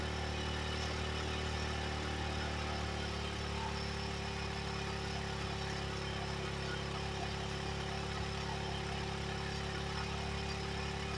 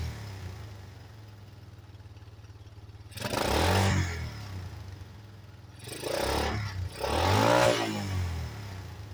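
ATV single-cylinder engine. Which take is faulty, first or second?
second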